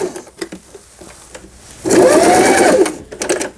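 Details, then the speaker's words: Singer 8280 low-cost household sewing machine, overused as semi-industrial until the lower-shaft unit gear broke and all gears were knocked out of alignment, after the gear was replaced and the machine realigned: brief, even, rapid stitching with no knocks or grinding, normal sewing. "쭉쭉쭉 나가죠. 4번 너무 넓다 해서 2번 후진 버튼, 그다음에 패턴 다이아를 돌려서 지그잭 바느질, 누빔 바느질, 세발뜨기 바느질."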